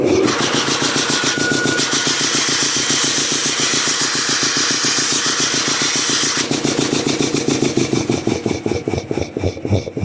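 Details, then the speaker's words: Restored old DeVilbiss 445 air compressor with new high-pressure manifold: steady slow piston chuff around three to four beats a second, roughly 450 rpm, airy hiss; pumping air normally. "And yeah, this thing's putting out some air. And it's actually turning fairly slow right now."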